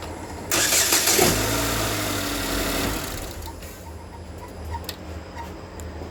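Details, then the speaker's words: 2013 GMC Terrain after engine rebuild, first start-up: catches quickly after a backfire, flares, settles into smooth even idle, no knocking, no check engine light; timing seems right, healthy. "the first start up it sounds fine no knocking timing no check engine light so the timing seem to be on oil's moving"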